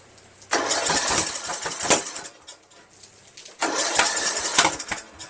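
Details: 1999 Craftsman LT1000 lawn tractor with Briggs 17.5HP engine cranks in two short bursts with only odd pops, no catch, after starting fluid sprayed into intake; valves adjusted to spec, compression 130psi, spark rechecked, still won't start.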